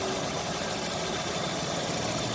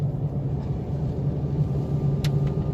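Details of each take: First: Chevrolet Optra with slight misfire, jerky running and long cranking to start, engine idling with cover open; uneven stumbling beat under a busy hiss; coil current tested low on cylinders 2 and 3, which are underperforming, while cylinder 1 is fine. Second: Chevrolet Optra road test after ignition coil replacement: deep, steady engine note building smoothly under acceleration, good pickup, no jerks or stumbles, all gears fine.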